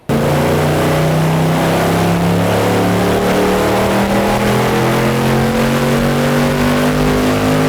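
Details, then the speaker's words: Built all-aluminum Chevrolet LS 5.3 L V8 for a 1999 Porsche 911, full-throttle dyno run, 292 hp, with headers expected to add power later: clean, smooth roar climbing steadily in pitch with no stumble, knock or rattle; healthy. "292 292 it sounded good we're going to try we may not get over 300 but we're we're going to try a little harder right now here's what I know it runs killer"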